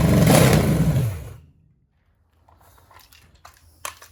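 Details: 1966 Chevelle small-block Chevy V8 from a barn find, first firing after plug wires were on wrong: deep, lumpy, uneven rumble for a second before dying. Suspected: broken carburetor bolt sucking air, timing eyeballed, old ignition.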